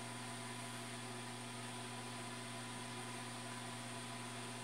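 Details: New automatic egg incubator bought online, just switched on and warming toward its 37.8°C setpoint: low, steady hum with an even tone, no ticking, scraping or wobble; the incubator fan is running smoothly and normally.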